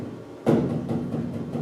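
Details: Land Rover roof tapped before fitting sound deadening mats: one sharp tap, then a hollow boomy ring pulsing and dying away; bare undamped roof panel drumming.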